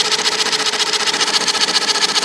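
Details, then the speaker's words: IBM Selectric II correcting typewriter: the motor runs with a quick, even pulsing whir and no print-cycle clunks. The center hub is cracked through and slipping, so it spins while the operational shaft stays still. The machine freezes when keys are hit. "So that hub is flipping. That hub is like this hub, and that crack just caused this to slip."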